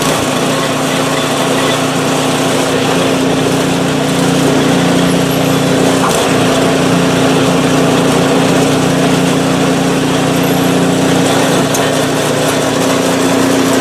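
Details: PowerSmart 24-inch snowblower, first start of 2021 after sitting without fuel since 2018: small engine holds a smooth, steady speed with even buzz, no misses or knocks; runs fine after storage.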